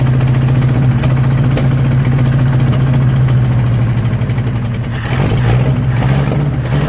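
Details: 1963 Nissan Junior ute sat 15 years: low, uneven idle wavering and stumbling, won't hold idle, better on choke; visible gap where the intake manifold meets the head, gasket not seated, giant air leak; new gasket planned.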